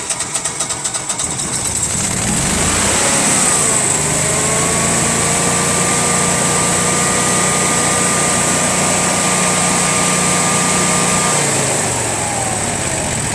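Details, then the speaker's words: Generac Honeywell home standby generator model 60341 on gas, cranked with pressure gauge on the engine side: several seconds of cranking and sputter before catching and settling to a steady drone; slow to start, cause not confirmed. "didn't start up as fast as i wanted"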